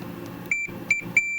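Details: Multimeter continuity check of the shielding in a Farfisa O.R. 200 amp, at a point that tests well, unlike a poor spot near a screw head: short, clean high beeps ending in a steady tone. Good continuity.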